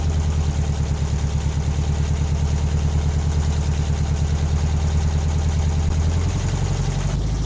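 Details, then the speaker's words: 1968 VW Bus air-cooled engine revived after years of storage and an engine fire; steady, even idle with a smooth low beat and no knocks or misses. Normal idle. "i think as you can hear this is running amazing right out of the box resurrected from the fire"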